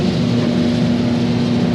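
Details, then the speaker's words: Free, scrap-bound diesel torpedo shop heater fired for the first time after repair, plugged in with thermostat on: loud steady rush of fan and burner, even low hum, no surging, rattling or sputtering, pumping heat; running properly. "Okay, that's working. Wow, that thing is pumping heat."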